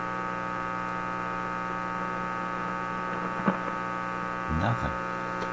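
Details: Simplex antique vacuum tube radio on shortwave, hooked up to antenna wire, front end suspected faulty: steady low mains hum with faint blips, signal briefly heard then lost; receiver dead, cause unknown.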